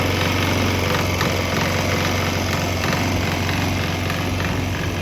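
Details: Swan X 165F Chinese single-cylinder diesel idling on a 50% used motor oil / 50% diesel mix; fairly even thump about four beats a second.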